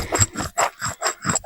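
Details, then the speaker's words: Subaru Legacy wheel bearing, removed and turned by hand: dry, gritty rasping in quick back-and-forth strokes, no grease left at all, very noisy; worn bearing being replaced. "on entend bien qu'il y a plus du tout de graisse et qui fait beaucoup de bruit."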